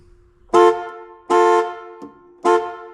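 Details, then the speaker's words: 1970 Dodge Challenger, slant six, revived after a rat nest, horn sounds as soon as the battery is connected for the first time; three loud, unevenly spaced horn blasts with nobody pressing it; crossed horn wire. "I mean, the horn's not engaged here, so there's a wire cross."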